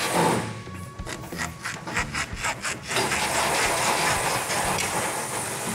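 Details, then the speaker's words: Rhythmic dry rubbing squeaks, about two a second, as a leaf spring shackle bushing is worked during suspension disassembly; bushing dry inside, never greased, should have grease. "You hear that squeaking? That shouldn't happen. Yeah. There should be grease in there."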